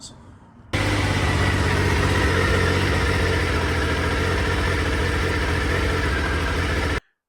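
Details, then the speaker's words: Triumph Sprint 955i non-runner neglected for years, now with fault codes cleared: engine catches straight away and holds a steady even idle for about six seconds before clean switch-off; normal idle. "So, it runs. I don't know how these bikes actually sound when they're running."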